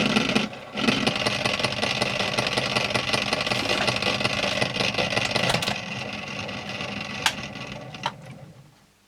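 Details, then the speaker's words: 1951 Stromberg Carlson Velvet Action record changer with a dented rubber idler wheel roughly filed to round it: uneven rumble and lumpy thump about every third of a second, slightly less lumpy than before; needs a new idler. "It's all over the place as you'd expect given all those dents in it. Sounds a bit less lumpy than it did a minute ago."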